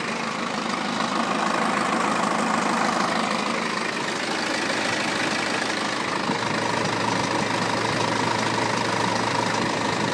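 Steady diesel idle with a fairly regular rattling tick near four per second over the clatter, typical of a worn timing chain.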